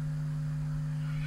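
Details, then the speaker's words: Vintage 1970s Marshall 6400 mixer amplifier, not grounded, input disconnected, microphone held near it: constant low buzzing hum with faint hiss, unchanging; mains hum from the power supply. "so I'll switch this on and I think you can hear that hopefully the noise reduction on that one audio system it doesn't kill that noise yet"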